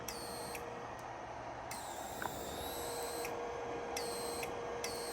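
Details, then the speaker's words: Laser power supply tested by holding high-voltage cable about 4 inches away and pressing test button: sharp crackling sizzle in bursts each press, showing high voltage reaches the output; supply works. "This is the static from the high voltage cable."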